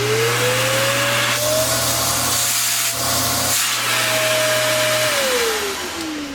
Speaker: as you can see the hose has suction so we know that there's not a clog or blockage in it